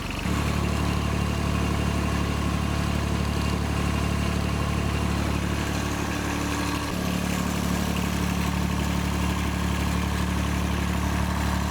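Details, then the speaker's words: John Deere 755 tractor, rebuilt Yanmar 3TN three-cylinder diesel, first start after shut-off solenoid tied back: even steady idle with slight speed change midway, no knock or miss; remaining noise is shield interference and rattles. "yeah yeah that sounds way better already there just an interference from that Shield everything else is just stuff rattling"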